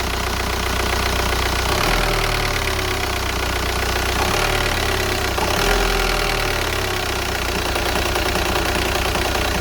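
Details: VW Golf 4 1.9 TDI 110 hp diesel: the engine shakes at idle as revs settle after a blip, as it does when stopping at traffic lights; owner suspects the injector or the flywheel.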